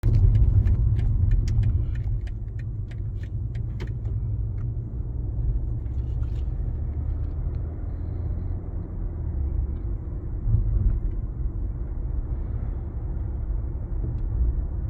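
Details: BMW G20 330d diesel: sharp regular knocks about three a second over a low diesel rumble, then fading away.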